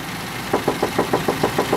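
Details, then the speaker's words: Ford F-150 at about 104,000 km, after recent engine work including timing: sharp, even ticks about six or seven a second over a steady idle, tapping when cold and fading once warm. The owner suspects a valve; the cause is unconfirmed. "After it warms up, it goes away though, so I wonder if it's a valve or something."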